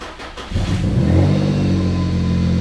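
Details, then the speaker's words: Infiniti G35X after repairing multiple exhaust leaks: engine fires and revs smoothly with a deep, even exhaust note and no puffing or ticking leaks; it now sounds like a normal car, with the sound coming from the tailpipe. "so much better awesome actually sounds like a normal car now yeah almost all the sounds coming from back here now sweet it sounds a lot better"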